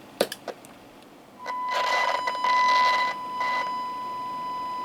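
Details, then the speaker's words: Alinco DR-570 radio after replacing the FET in the dead VHF receiver, generator on 145.525 MHz: after a few clicks, a clean steady test tone comes through clearly; receiver working again. "yes you can definitely hear it we are back in business"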